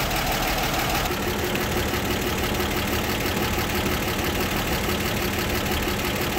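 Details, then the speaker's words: 1960 Grumman Olson Kurbside step van, first running in 29 years, after hoses, belts and tune-up: steady, even warm idle with light background rattle, thermostat just opened, generator charging; normal warm idle. "water temperature looks good looks like the thermostat just open that's a good time now it looks like the gauges are working and this thing is charging"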